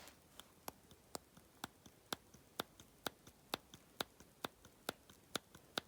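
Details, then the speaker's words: Emco Unimat 3 milling head spindle, disassembled during Z-travel mod, shifted by hand: sharp light clicks about twice a second. No visible bearing adjustment or jam nuts. Spindle end play. "don't know if you guys could hear that but uh i'm curious to how much end play that is"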